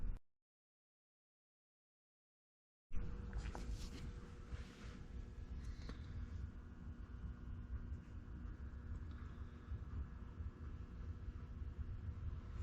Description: Found a bad bearing in the alternator on the Ford 9N along with some Bee's hibernating for the winter.